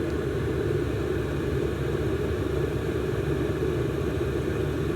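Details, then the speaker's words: Chinese copy diesel parking heater in a camping case, brand new, at 3.2 pulses per second: the fan ramps up to an even, steady whooshing rumble that buries the pump ticks. Normal fan at full speed. "it's hard to hear the pump over this fan ramping up but that should get us full blades you can hear it's getting louder now"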